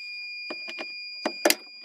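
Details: Starter solenoid/relay from a 1999 Fleetwood American Tradition Class A RV bench-tested energized: a steady high multimeter continuity beep with handling clicks shows the contacts closed and the relay working.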